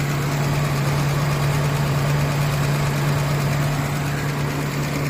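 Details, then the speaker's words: Engine idling after valve clearance adjusted to intake 0.18 mm, exhaust 0.25 mm (previously too tight, silent); steady idle with light, slightly uneven ticking about three a second over low hum, rougher but normal within original spec. "Okey, selepas saya fine tune valve clearance ni ataupun tappet clearance ni, bunyi engine tu agak kasar seperti yang anda dengar sekarang ni."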